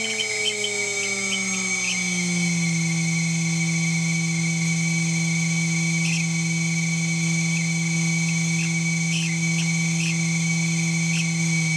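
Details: 2.2 kW water-cooled spindle, under warranty: a high steady whine with sharp chirps every second or two. Spindle chirping and squealing; owner suspects bad bearings.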